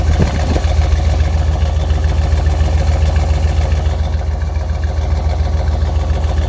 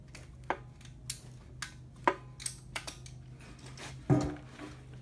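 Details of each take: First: 1999 Chevy Suburban 350 5.7 Vortec V8, about 242,000–246,000 miles, earlier run without oil spinning rod bearings: even low rumble with steady pulses, no knock, faint radio; idles cleanly. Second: 1999 Chevy Suburban 350 5.7 L Vortec V8, 242,000–246,000 miles, run without oil and spun rod bearings; bare engine turned by hand during teardown: sharp uneven metal clunks every second or two; worn connecting rod bearing knock.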